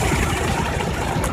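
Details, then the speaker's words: Nissan Hardbody after fuel filter replacement: steady, even low idle with no misses, stumbles or knocks; runs smoothly, no leaks found afterward. "let's crank it over and see what's up [Music] all right so we see we seem to be good to go"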